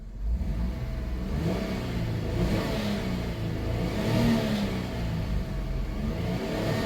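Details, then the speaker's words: 1997 Dodge Grand Caravan SE at about 171,328 miles, warm start after being abandoned 4+ years and repaired. It fires right up, and engine pitch rises and falls smoothly with no knocks, ticks or rattles. Normal revving. "171 [Music] 328 fires right up that motor runs great and that's that really"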